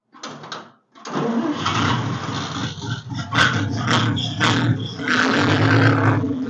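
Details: 1946 International truck, sat 50+ years since 1960s, fitted with new 12 V charging system: engine runs with irregular light rattle following engine speed; generator fan loose on its pulley.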